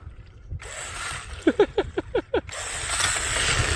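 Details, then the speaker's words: Kyosho Sand Master 2.0 RC car, 3300kv brushless, outdoors in cold after sanding the gears: short rising whirs on throttle bursts with gritty gear whine, spur gear noise still present but much reduced; badly extruded plastic spur gear. "the wheelie master so it it still does have some of the gear noise but by doing uh the little bit of uh Whoa by doing the little bit of uh sanding and working on the gears it has taken quite a bit out of it"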